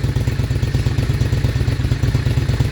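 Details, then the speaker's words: Honda Shadow VLX 600 motorcycle after a weak battery was replaced with a new one: starts on one press, then deep, even low thumping at steady idle with no misses or rattles. "after install a new battery this is what it sound like when it turn on right see that see a weak battery and then a good battery that's a different sound you see one press go right away start right [Music] away see and it sound better too"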